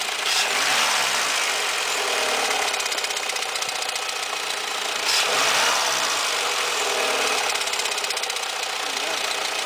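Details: 2002 Peugeot 206 1.0 16V: hissy, slapping chatter with fast uneven flutter at start-up from the right side of the engine, intermittent, fades after driving; alternator belt had no tension, almost off the tensioner; replacing the whole set cured it.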